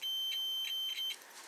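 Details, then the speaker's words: Small 12 V bulb tested with a multimeter in continuity/diode mode: a steady high-pitched beep for about a second, then stops, showing continuity, so the bulb filament is intact. "decir, esta bombilla está intacta."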